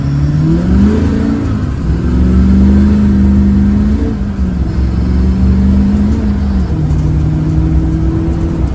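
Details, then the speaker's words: Fully restored diesel truck with many performance modifications, untuned, at full throttle: loud low drone whose pitch climbs, sags and wanders unevenly; it runs terribly because the modifications are not yet tuned. "just like anything with engines if you put any modifications in there it's going to run terrible unless you tune it"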